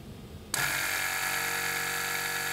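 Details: 2017 BMW 5 Series F11, rear sagging, both rear air springs already replaced: compressor commanded via scan tool gives steady high electric hum and whirring pump but car doesn't rise; compressor vent valve stuck open.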